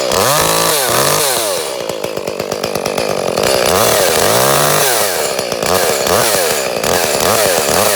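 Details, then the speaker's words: Echo CS-310 chainsaw after a new spark plug, cutting wood: it had run poorly for months; revs cleanly through the cut with a crisp, even two-stroke note and no bogging, normal cutting. "okay got the new spark plug in it seems to be running better"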